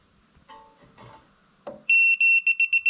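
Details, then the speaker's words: Propane leak detector on an RV hot water tank being bench tested: shrill long beeps quicken to about four pulses a second after a gas fitting was deliberately backed off a quarter turn; detector shows red, propane leak detected. "oh it does it's the red it says bad we've got a bad situation there"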